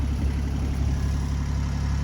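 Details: 1984 Island Packet 31 sailboat diesel that previously would not start, now idling with a steady, even low thrum, no misses or knocks; engine running smoothly and healthy.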